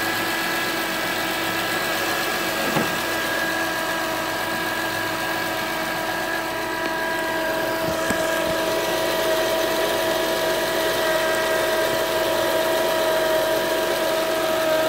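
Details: 2007 Acura TL Type S at idle: a steady high whine comes in partway through and holds its pitch; engine whine, cause not yet pinned down.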